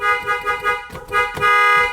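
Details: Toyota Tundra with inoperative horn, after replacing the faulty clock spring and reconnecting the battery: a few short honks then a longer one, each a clear steady blare with no dropout; horn now works.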